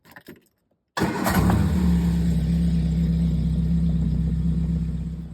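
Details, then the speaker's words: 1969 Triumph Spitfire Mk3 rebuilt engine, first start after refilling empty float bowls by hand: catches immediately and settles to an even steady idle with no misfire; pump can't prime on its own, a knock was then suspected. "Right. So, I filled up the bowls again. Started immediately and it started pulling started pulling more fuel through."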